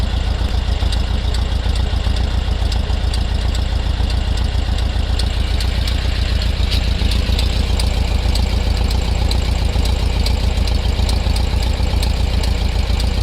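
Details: VW Beetle at idle: steady running with a fast, somewhat uneven light ticking or popping about two per second from around the rear left; cause not pinned down.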